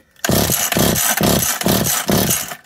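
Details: McCulloch Eager Beaver 2.0 chainsaw during rebuild, spun over repeatedly (drill on double-nutted nut tried): five quick cranks with an even whirr and no firing at all; soft no-start crank suggesting low compression.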